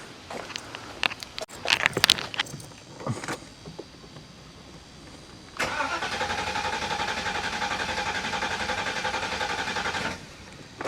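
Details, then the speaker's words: 1985 Mercedes 500SEC V8 with new fuel pump and fuel filter, only starting when throttle plate pressed: scattered clatter then few seconds of even starter cranking without catching; hard start. "the fuel pump and the car cranked over but it only started when i pressed down on the throttle plate"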